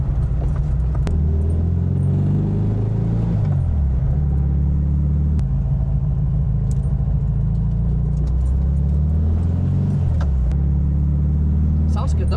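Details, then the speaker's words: 1968 VW Type 3 Fastback, air-cooled, driven on the road after new ball joints, fuel pump and bumper: steady low engine drone with smooth pitch shifts through gears, no knocks or misses, fuel pump didn't overheat; normal running. "Sounds great. >> Well, I'd say that's a success. That was It It ran pretty decent."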